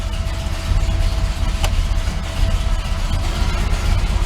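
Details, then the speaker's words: Chevrolet S10 after rocker arm adjustment, 42-43 psi oil pressure at idle: deep, slow, loping idle with heavy low rumble at under 500 rpm; idle set too low, needs raising, though running better. "Here's my idle. That's way too low."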